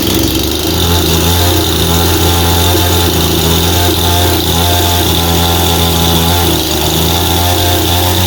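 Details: Husqvarna 51 two-stroke chainsaw with an aftermarket big-bore 55 piston and cylinder and high compression, run after its carburetor was cleaned because it would not start after sitting with fuel; it holds a steady, even high-pitched drone with no misses or surging, running clean.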